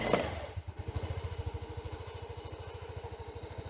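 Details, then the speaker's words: Sym Jet 14 fuel-injected scooter on jump-start box, throttle cable off: single cylinder putters at fast even beat only with throttle slightly open, won't run at closed throttle; owner suspects overheating ECU. "ja also man merkt der will aber irgendwas irgendwas reicht nicht aus"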